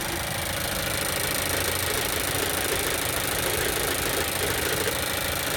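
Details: Mazda CX-5, cold start on 29 December; a harsh, gritty, fast and uneven metallic rattle at idle that disappears when the clutch pedal is pressed.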